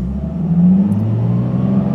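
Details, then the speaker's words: 2008 Nissan 350Z with JWT heavy-duty clutch, new OEM dual-mass flywheel, Zspeed slave and Wilwood master cylinders, clutch in and out and revving: smooth engine hum rising cleanly from idle, no flywheel chatter or rattle. "the reason i went with this flywheel is is so it would be quiet because with lightweight flywheels you get chatter up until from about idle"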